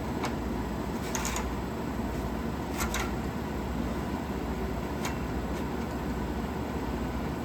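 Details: 1956 Fedders Weather Bureau 6,000 BTU window air conditioner, Tecumseh compressor, after rewiring: steady even hum, low motor drone, a few light clicks, no rattle or strain; running normally.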